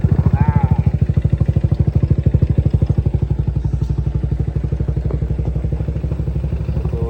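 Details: Motorcycle after repair, idling: steady even thumping around three beats a second, no knocks or clatter; it had arrived with a rattling "kerang-kerang" noise, now runs smooth with no problem.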